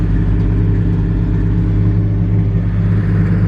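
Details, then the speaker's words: Square-body truck V8 at start-up with single-plate exhaust: deep, even rumble with a bit more exhaust bark than wanted, steady with no misses or knocks; running normally, not yet fully dialed in. "This one sounds good too."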